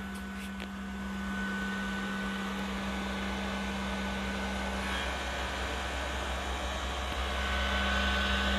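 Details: PS4 console before cleaning, never cleaned before: loud steady rushing fan roar with a constant hum underneath, far too loud; dust blocking the fan, cleaning it fixed the noise.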